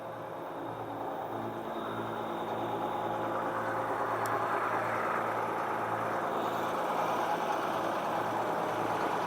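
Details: Petrol crane truck being revived from sitting, hood down and idled up during its first run after the tank was fully drained: the engine holds a smooth, even idle throughout with no knocks or misses and sounds healthy.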